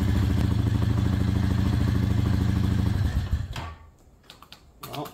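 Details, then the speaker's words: 2008 Honda Fourtrax TRX420 fuel-injected quad, in neutral, wiring loosely reassembled: even thumping idle about three beats a second for three seconds before shutoff; starts right up; normal idle. "all right let's see if that worked that's all Loosely on in neutral power on I love fuel injective change they just fire right"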